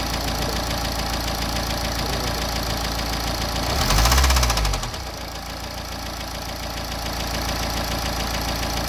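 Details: BMW N47 diesel (520d/320d/120d) at idle with deep regular knocking about four per second; bottom end gone, worn crank or rod bearings.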